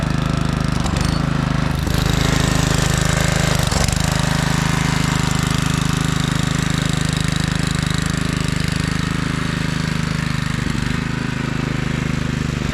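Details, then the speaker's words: 1997 Craftsman II rear-engine rider, 13.5 hp Tecumseh, on test drive while mowing after electrical repair: steady regular single-cylinder putt with no hunting or misfire; carb came around, mows smooth and quiet. "well how about that all of a sudden the carb is running great and I don't know if you could tell through the camera but this thing mows super smooth and quiet"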